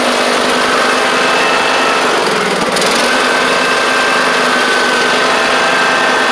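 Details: John Deere D110 riding mower with almost 400 hours, driven on a test run: steady, even small-engine drone at constant pitch under light load, no knocks or misses; running fine.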